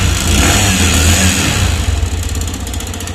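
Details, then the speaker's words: TVS Sport BS6 bike with meter warning light running rough, harsh dry metallic clatter; teardown found piston seized from low engine oil (about 200 g short), clutch plates worn out and debris in the clutch-side filter. "तो दोस्तों मैंने गाड़ी को खोल लिया है और गाड़ी की कंडीशन में आपको दिखाता हूं कि इसका पिस्टन किस तरीके से चीज हो गया है"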